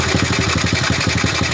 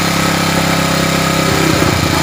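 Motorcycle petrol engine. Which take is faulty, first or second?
first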